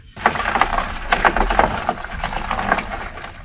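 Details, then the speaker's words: 1936 Johnson Seahorse Model 200 two-stroke outboard fuel tank, sat leaking for a while: hard irregular knocking and clattering as the tank is moved, loose chunks of dried old fuel (not rust) rattling inside; tank needs cleaning out. "Wow, the chunks are real. Oh my word. That's not what you want in your gas tank."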